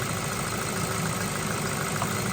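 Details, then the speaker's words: Ford Focus with a head gasket leak, days after Steel Seal, warm after a four-mile run with next to no cooling-system pressure: steady, even idle with a smooth low hum and no misses, knocks or ticks; normal idle. "But no, normally if the head gaskets, it put a lot of pressure in there and it'll blow all the water out or it seriously overflow. But with a four mile run, there's next to nothing in the way of pressure."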